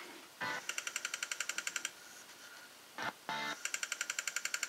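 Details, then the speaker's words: Bose Wave Radio CD player when first switched on cold: rapid even clicking about four per second with short snatches of music, chattering and skipping, easing as it warms over roughly 20 minutes; capacitors or voltage suspected, not confirmed. "hear the chattering here now according as I according as I let the city play it there's more music less chatter so that tells me that the um the CD player components um need to get warmed up and once they're warmed up they're okay"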